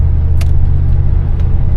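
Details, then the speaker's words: 1991 Cadillac Brougham 5.0 driving at cruise, heard from cabin: steady low rumble, faint clicking from stickers on new tires; no belt squeal or exhaust leaks; runs quiet and healthy. "Other than that, I don't hear any noises."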